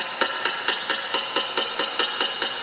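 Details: Fender Blues Junior III amp, tapping on the preamp tubes: steady taps about four a second each trigger a bright metallic ring through the speaker; microphonic first 12AX7 causing high-frequency "tinnitus" oscillation, replaced with vintage military Tung-Sol 12AX7.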